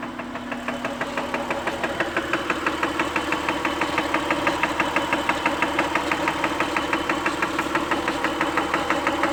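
Sharp, even ticking about three per second rides over a steady idle; a clear top-end tick, cause not yet pinned down.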